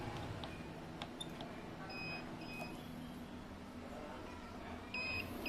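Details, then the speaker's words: Uwinfly N9 first-gen electric motorbike, three years old, with Nanjing Fardriver ND72360 controller, stops after throttling and beeps twice. The manual says this means a throttle error; owner suspects a loose socket after steering work. Controller double-beep throttle fault. "Menurut keterangan di manual book-nya. Bip dua kali. Pedal ininya error."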